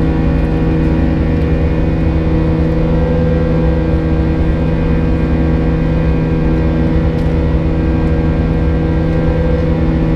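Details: United Airlines A320 climbing out of Houston IAH for NYC LaGuardia, recorded in the cabin: steady buzz-saw jet drone with several fixed high-pitched tones held above it from 1:33 until level-off; cause unknown, and the uploader heard it once before in an exit row.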